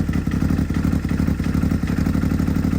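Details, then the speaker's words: Can-Am X3 (Rex3) just refitted with a smaller FP Green turbo, first start after removing the MoTeC standalone: rough, uneven chugging at steady speed, sounding like two cylinders; fuel pressure low at about 50, MAP sensor placement later changed; cause unconfirmed. "Well, it sounds like it's on 2 cylinders. See what that fuel pressure is. Fuel pressure is pretty low."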